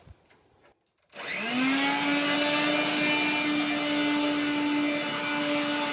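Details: 1970s blue Regina Electrikbroom 3-speed vacuum, just arrived, vacuuming a floor. The motor and fan are dry after someone washed it. The motor spins up to a steady high whine with a rough, gritty edge from dry motor bearings.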